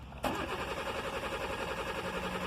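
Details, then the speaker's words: 2005 Kia Picanto with intermittent no start, immobiliser light not coming on, door open: starter spins the engine in a steady rapid rhythm but it never fires; immobiliser not recognising the key, traced to oxidised antenna coil connector terminals. "hopefully you're going to hear it crank but it's not going to start"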